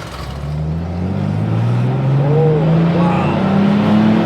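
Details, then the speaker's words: Daily-driver car back running after repair, pulling under load with five people aboard, possibly slightly lean: engine note climbs smoothly and evenly with no misses, knocks or stumbles; normal engine under load. "wow it's running good we might be a little bit lean yeah well not bad for five people in the vehicle still pulling smooth"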